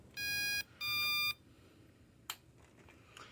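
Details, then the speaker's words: Drone ESC powered from a power supply, no motor attached, after in-flight voltage drop: two long high beeps, click, then quiet; faulty ESC giving abnormal power-on beeping. "But anyhow, has anybody seen an ESC that beeps? How is that beeping? Craziest thing I've ever seen."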